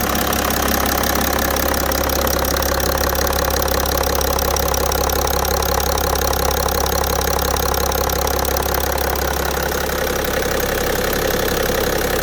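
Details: BMW E60 530d, M57D3 diesel, idling: steady, fairly even knock about three beats a second over the idle; engine knock, cause unknown.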